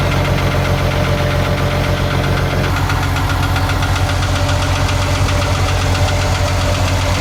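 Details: Isuzu 6BG1 diesel engine in a Hitachi excavator running with a regular knock about two and a half per second over a deep rumble; engine knocking, cause not known.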